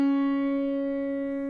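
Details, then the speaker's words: Piano C sharp held note rings clean and steady as it fades with no beating, unison strings in tune, unlike the out-of-tune middle C beside it. "Hear the steady state of that C sharp."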